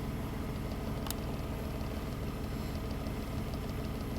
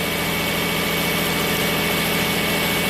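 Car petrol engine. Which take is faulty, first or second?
second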